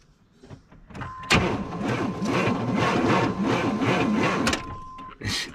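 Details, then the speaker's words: Chevy Camaro leaking fuel, failing to start: starter labours with slow, heavy cranking pulses about three per second for three seconds, no catch; engine not spinning fast enough because the alternator and AC pump pulley are seized. "The engine ain't spinning over fast enough. What's that? Well, it's because the alternator is seized."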